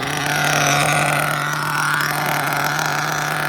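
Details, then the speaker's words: Mugen MBX5 1/8 nitro buggy, still breaking in, first run after sitting 14 weeks put away wet, preheated: steady high buzz with burbly, blubbery edge and slow pickup; still lean on the low-speed needle, plenty rich on the high-speed needle. "Still sounds lean down low. You know, it's rising up. It took a second there to go. Plenty rich up top."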